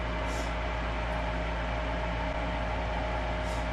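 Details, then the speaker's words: Lennox furnace, new inducer motor after old one's bearing failed (noisy, hot, burning smell): smooth even mid-pitched blower hum, no grinding or bearing chatter; normal inducer running after replacement. "so that sounds a lot better see it's not making noise whenever i move this now because the bearing is good on this motor"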